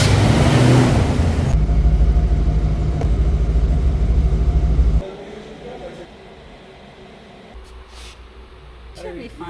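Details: 1987 Ford Mustang GT 5.0L V8 after fluid top-off and a new battery, with the no-start traced to a bad battery cable connection: deep, even V8 rumble, steady firing, no misses or knocks; starts and settles into normal idle.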